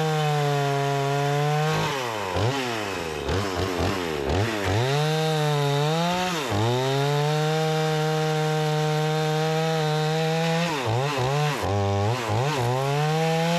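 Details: Repaired Remington 46cc two-stroke chainsaw with sharp chain cutting wood: screams up cleanly, bogs only slightly into each cut, then snaps back to a crisp high pitch; strong and responsive, healthy engine under cutting load.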